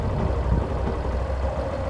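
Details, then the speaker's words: 2017 Yamaha Fazer 150 idling with a low, even thrum once the stator connector is unplugged; the whine like a failed bearing or clutch, rising with throttle, was caused by a burnt stator coil and returns when reconnected. "barulho já mudou galera o acelerar o é totalmente diferente quando eu coloco de volta o barulho já muda"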